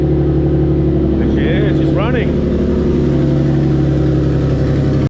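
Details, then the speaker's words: Nissan S13 with turbo VQ35DE swap, first start after fixing grounds and relays: steady low idle, even and unlabored with no knocking, yet heavy exhaust smoke; owner unsure whether the engine is blown or burning residue from sitting. "can see all the smoke right here um it's a lot of smoke I don't know if it's blown up or a while but that's quite a lot of smoke"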